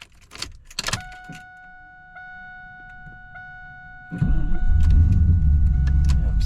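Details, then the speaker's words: 2001 Pontiac Trans Am WS6 with LS engine: after the chime, a loud continuous grinding whir keeps going after the key is released to on and even removed; starter stays engaged, suspected failed solenoid or gear not retracting. "it wants to stay starting after the key has been released back to on yep it's doing it you hear that starter is staying engaged"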